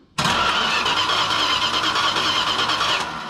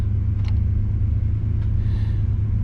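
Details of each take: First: 1968 Chrysler Newport with a points ignition, after overheating and a cooling flush: the starter cranks steadily for about three seconds with a whirring drone but never catches; the coil has spark, so the owner suspects the points or condenser. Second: 1968 Chrysler Newport V8 the morning after its cooling system flush, thermostat reinstalled and upper and lower radiator hoses replaced, fighting overheating: smooth, even warm idle at about 1000 rpm set with timing, with no misses, knocks or ticks.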